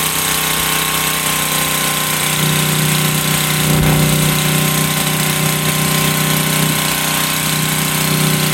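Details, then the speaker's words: Generac SVP 5000 generator, long unused, now running after repair: loud steady engine drone at constant pitch, no misses or surges, holding speed normally. "all right okay she runs Della hasn't been running in a while"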